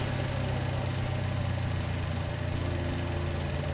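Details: DF Goblin kit car, first start of the engine after assembly: steady, even idle with a smooth low rumble and no knocks or misses; engine sounds healthy.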